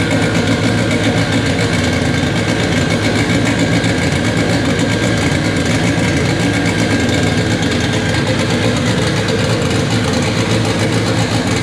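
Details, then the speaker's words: K24 AWD Integra on its first start on a FuelTech FT600 ECU, still needing fuel tuning: loud, steady, even running with no knocks or stumbles; normal idle. "it officially runs on fuel tech after what seemed to be like two days of just settings and doing weird things to get it to run but uh yeah that was awesome sounds good we need some fuel tuning"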